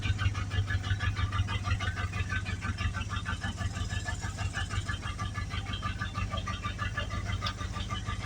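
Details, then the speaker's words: 1982 Dodge Ramcharger engine, recently revived, at idle: loud steady knocking about three per second over a rough low rumble, from a badly torn rod bearing, yet it still runs. "that'll work man you can hear that thing wrapping really loud well he really did tear rod bearing up but I'm just amazed it runs"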